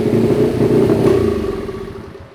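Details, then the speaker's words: Honda CRF50, not running properly after riding: idles erratically, and on throttle the revs rise briefly, then slow and fade as the engine bogs and dies; cause unknown, spark plug to be checked. "It's just acting really weird at idle, and then whenever I give it any throttle, it dies."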